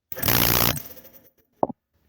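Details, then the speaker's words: Craftsman air compressor with the cover off, started under no load with tubing disconnected: quick motor spin-up, then cut-off and a sharp click. It starts fast as intended, though a wire is inadvertently actuating the start switch. "well actually that went really fast like it's supposed to but if you look that wire is actuating that switch"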